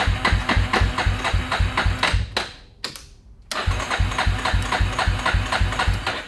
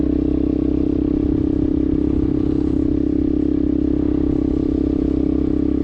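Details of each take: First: 2000 Yamaha Warrior 350 ATV, new carburetor and ignition modules, lawnmower starter relay fitted, first electric start on little gas; single thumps steadily about four beats a second, drops briefly, then keeps running normally. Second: 2000 Yamaha Warrior 350 single-cylinder ATV, scrapyard revival with new carburetor and ignition modules, riding in second gear; loud raw rapid even bark because the muffler has no packing.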